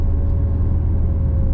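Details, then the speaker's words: Modified Subaru WRX with built engine, 200 kW plus, upgraded intercooler, dump valve and Prodrive piping, idling: deep lumpy uneven boxer burble from unequal exhaust lengths, no knocks; healthy. "The exhaust length, because two of the ports are closer than the other two, that's why they make that sound."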